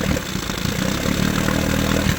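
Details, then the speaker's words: 1972 Johnson 9.5 hp outboard running rich on oil-heavy two-stroke mix: uneven stumbling beat with skipped firing pulses; misfire of unknown cause, owner thinks it may be firing early. "So, yeah, she's uh she's a bit rich. Not sure what that misfire is. It's almost like it's"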